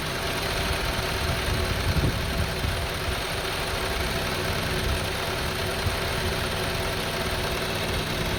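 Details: 2002 Honda CR-V 2.4 L with rough, up-and-down idle; with the sensor unplugged the engine holds a raised, even idle, high RPM but smooth, no hunting.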